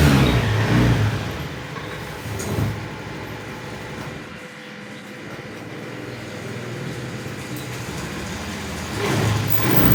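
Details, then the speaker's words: Honda Beat FI ESP scooter that wouldn't start on the starter, after repairing a broken wire at the starter switch: starts on electric starter, runs steadily, picks up on two throttle blips and drops back to even idle; running normally. "Oke teman-teman motor sudah menyala ya motor sudah bisa dihidupkan kembali menggunakan starter"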